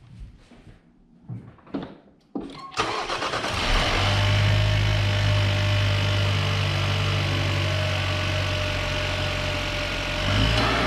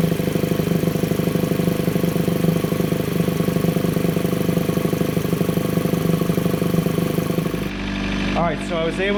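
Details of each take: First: Chevrolet Cruze with new intake after catch can install to cure a PCV noise, at start-up: cranks, catches and settles into a smooth even idle with no whistle or hiss; noise gone. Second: Chevrolet Cruze at steady idle with open intake: loud droning, pulsing hum; noise under the valve cover or PCV system resonating through the PCV line into the intake, before catch can install.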